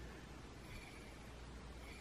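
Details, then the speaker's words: Singer 500 series "Rocketeer" PA 10-8 sewing machine motor after replacing its bearing (37KDD). It spins with only a faint low hum and no gritty scratching, turning better than before: quiet motor bearing. "Pretty much silent now. And turning beautifully. Again, not frictionless, but definitely turning better than the other one was."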